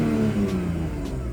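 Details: BMW E46 wagon with burnt-through test pipes and no muffler, after running 20 minutes without going into limp mode: a short, steady rev with a smooth, even note and no stumble; no limp mode, engine sounds healthy.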